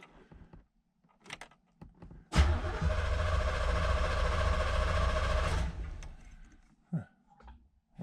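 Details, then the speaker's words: 1986 Chevrolet Z51, low mileage, first start after more than 20 years in storage. About three seconds of steady, even cranking at normal speed, but the engine never fires. It only cranks with the clutch pressed. "seems to be turning over good enough huh won't turn over without the clutch in"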